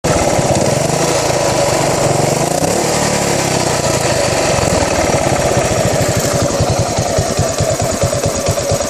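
Single-cylinder thumping at idle with a lumpy, uneven beat that stumbles instead of ticking over smoothly, so it is idling rough.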